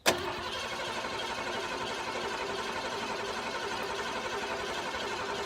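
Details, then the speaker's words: Ford F-150 sitting about ten years with at least 10-year-old gas, carb cleaner sprayed in, throttle held open; one sharp catch then only a thin, steady churn that does not take off, a small fire occurred: cranking with brief firing. "the gas in here is probably at least 10 years old Jim yeah all right give her another open up the throttle okay yeah we had a little fire give her another shot"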